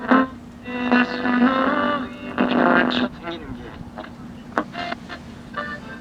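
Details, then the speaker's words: GE H 500 / H 500U AM tube radio playing a thin, harsh broadcast over steady hum, lacking volume with distortion and clipping; most likely bad capacitors, radio needs recapping and repair. "All the problems that you hear there with the lack of volume and the distortion and the clipping sound, that is all due to bad capacitors most likely,"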